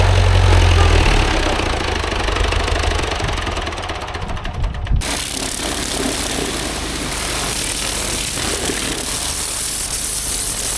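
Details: Vintage David Brown 990 diesel tractor, revived after 20+ years abandoned, clutch freed: steady idle, even beat about three or four knocks a second, no misses; running sweet, engine seems in good condition.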